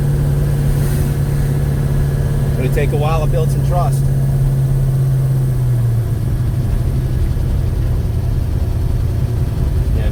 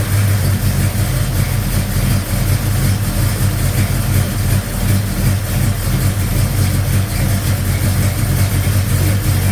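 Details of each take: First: 1956 Chevy Bel Air 307 V8, first drive after restoration, at temperature (185°) with oil pressure around 40: harsh, loud diesel-like valve train clatter over the exhaust and stumbling, caused by mismatched valve springs and retainers. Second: 1956 Chevy Bel Air 307 V8 at idle after fixing a loud diesel-like valve train noise caused by mismatched valve springs and retainers, running rich; smooth, steady rumble with no ticking or tapping: normal idle.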